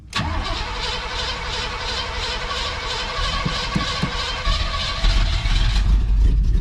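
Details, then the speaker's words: 1980 Chevrolet Cutlass scrapyard car, possibly sitting since 2018: uneven cranking churn briefly catches, sputters and dies without fuel pickup; suspected fuel pump failure, bad old gas, or brake-clean spark knock, not confirmed. "Or a fuel pump's not working, I don't know. And it's just sputtering out."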